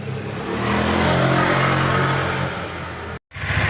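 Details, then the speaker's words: Honda Vario Techno carb scooter after replacing worn front pulley bushing (roller housing loose): revving smoothly, even drone, no clicking from CVT case; acceleration comfortable, power back. "Motornya sekarang sudah berjalan mulus. Tidak ada suara detikan. Tidak ada suara detikan."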